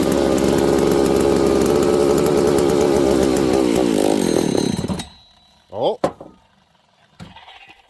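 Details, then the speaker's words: Husqvarna 272/268/266/61-chassis chainsaw during crank seal test: brake cleaner sprayed at the crank seal and seals under the oil pump; high buzzy run sags, falters and dies. Air leak from crank seal. "I'm gonna shoot a little break clean okay into those two areas without getting it into the intake which is on the bottom of the air filter or it will die instantly let's see if we got an air leak"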